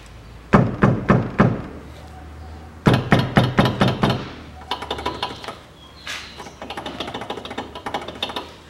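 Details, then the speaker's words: 2005 Toyota Passo, 1.0 L automatic FWD, 96,000 km, front wheel knocked on lift: sharp metallic clunks about four a second from loose caliper guide pins and cylinder rattling; noise vanishes with slight brake pedal; fix planned with rubber rings in machined pin grooves. "болтаются суппорта в пальцах вернее болтаются пальцы скорби суппорта и сам цилиндр издает такие звуки"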